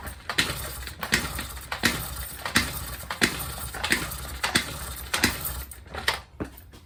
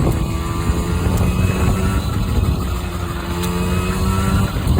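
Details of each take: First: Honda NC50 Express 50cc scooter, cold day, after starting fluid sprayed into intake: slow irregular kick-over strokes with no firing; flooded with too much starting fluid, spark plug wet, spark confirmed. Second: Honda NC50 Express two-stroke scooter on a test ride on a cold day, topping about 25: the buzz climbs cleanly through the revs over road rumble, pulling strong without bogging. Normal running under load.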